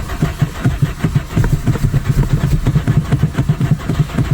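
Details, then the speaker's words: 1997 VW Vento (Jetta MK3) with automatic gearbox, raised and levelled for a gearbox service, fails to start again: starter churns in even pulses, about four to five a second, with no firing; owner suspects the distributor, replacement on order. "It won't start again. It won't fucking start again."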